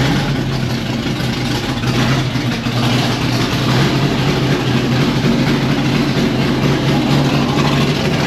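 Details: 1992 Fox Body Mustang with swapped 351W 5.8L V8 and Holley parts, ignition timing reset to 10° static from 12°: low, uneven, lumpy idle that hunts instead of settling; shakes a little less than at 12°, which gave a messy idle.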